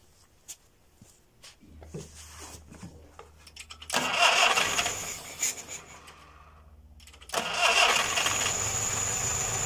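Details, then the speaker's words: Homemade small tractor with a Škoda 1202 engine, first start after converting from a twin-choke to a single-choke carburettor with a made adapter: starter churns, catches around four seconds, stumbles, then settles running; normal start. "Jede to přátelé To je bomba ono to bude fungovat Já mám radost"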